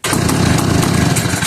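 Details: McCulloch 1-52 chainsaw, freed up with strong compression, after adding fuel: rough, rapid two-stroke buzz catches right away, holds a steady run for over a second, then fades as the saw dies; engine starts and runs.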